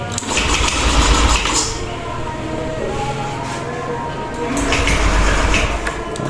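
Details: Honda Beat ESP scooter that stumbles on light throttle, won't rev and is hard to start: starter whirs in rough bursts, engine coughs but never catches; no start.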